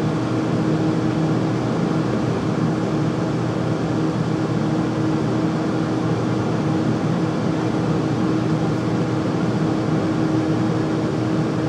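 Steady loud roar with a constant low hum and no change in speed; furnace running noisily, cause not clear.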